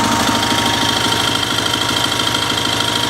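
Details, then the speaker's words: Sears SS/16 garden tractor with Onan twin engine, in neutral at low idle: a sharp, fairly regular tap about twice a second over the firing; the owner is unsure whether it is normal or a rod knock. "So if you guys could weigh in on that sound that the Onan engine is making, is that normal for a BFMS? Is that a rod knock?"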